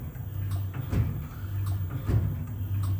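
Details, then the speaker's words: Lamborghini Aventador SV magnetic ride monotube shock on a dynamometer test rig before repair: low hum with a dull knock each stroke; gas passed the separator and foamed the oil. "This is a monotube shock absorber, where we have both a gas chamber and oil. Part of the gas has passed through the separator and mixed with the oil, turning it partly into foam."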